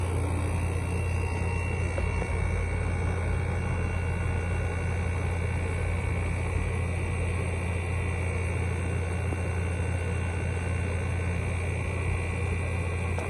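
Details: Midea 5000 BTU window air conditioner from 2021 with a GMCC compressor and Welling fan motor, running in a hot garage: steady low hum with an even fan rush, no rattles, clicks or surging; compressor running normally.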